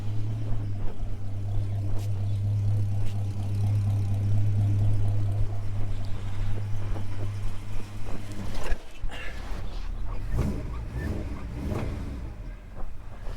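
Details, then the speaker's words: Holden HK with a freshly installed engine, ignition not yet timed and probably too advanced, gives a steady, low, even idle with no knocks or misses. It sounds quiet and healthy. "She sounds good, she sounds quiet."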